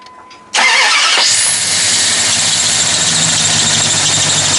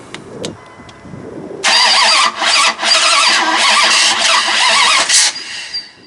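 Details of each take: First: Rebuilt Mopar 360 small block in a 1997–98 Dodge Ram 2500, first start after correcting the firing order and fixing leaking vacuum lines: cranks, catches quickly and runs steady, with a faint squeaky belt chirp and a little smoke. Normal running. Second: Freshly rebuilt Mopar 360 small block, Dodge Ram 2500, first start: engine catches and runs ragged with repeated dropouts and stumbles; ignition timing still off, still a slight miss but much improved.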